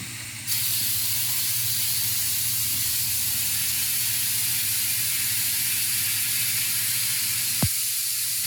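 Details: 1951 Ford Shoebox coupe, LS3-swap project, newly plumbed air bag suspension on battery and switch, lowering after raising: loud steady hiss starts abruptly and holds evenly for several seconds as the bags vent; normal lowering.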